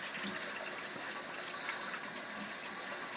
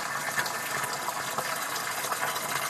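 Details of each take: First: Two-zone baseboard hot water heating system being bled: soft steady hiss with faint spitting and gurgle as trapped air vents from the bleed hose while fill water replaces it. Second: Two-zone baseboard hot water heating system, upstairs zone bled through drain valve: water now rushes out in a smooth steady stream with hardly any sputter; steady water flow, air purged.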